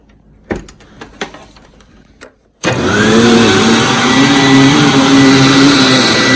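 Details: Hoover WindTunnel Supreme U5468-900 upright vacuum, used, with a finicky power switch: clicks, then motor holds a steady even roar with aggressive brush-roll hum grooming carpet; normal running.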